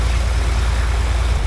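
Deep, heavy throbbing drone with a steady low pulse during the run-up, the rough beat of an out-of-balance propeller.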